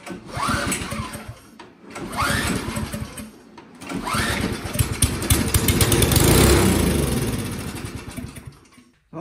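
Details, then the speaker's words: Craftsman single-stage four-cycle snowblower that won't start: several pull-starts, then a short loud burst of running that fades within seconds on starting fluid sprayed into the carburetor, indicating fuel starvation. "we'll put it back down flat and i'll squirt some starting fluid in there and see if it'll fire over"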